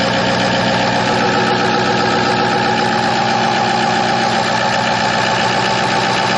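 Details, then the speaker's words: 2006 Ford F-550 4x4 Super Cab, 6.0 L diesel with bulletproofing work, not yet warmed up: loud but even diesel clatter at idle, no missing beats or knocks; really pretty smooth for a diesel. "So there you go. It's really pretty smooth for a diesel. Kind of loud, but that is all diesel."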